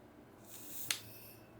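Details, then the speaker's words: Mercury Rise TR50 Torpedo airgun on an 800 psi HPA tank reading 3,000, after reinstalling the factory bolt spring and a new firing pin: one crisp bolt click with a short air puff, then silence with no trailing hiss. The bolt engages cleanly and there is no leak. "All right, I heard the bolt. Engage. Silence is good."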